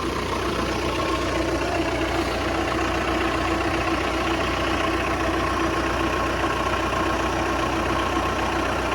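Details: Engine just after alternator replacement, first start: steady, even idle with a smooth rumble and no knocks, squeals or belt chirp; running healthy.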